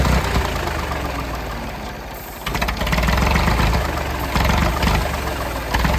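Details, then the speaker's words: Late-1960s/early-1970s Massey Ferguson 2200 forklift, Perkins 3-cylinder gas engine, first run after 23 years: runs steadily at a fast idle that stays up. The throttle isn't returning to idle, and the choke is mostly closed to keep it off wide open. "I'm not sure why the throttle's not idling down like it should. I had it blocked off most of the way there with the choke there, so it wasn't trying to run wide open."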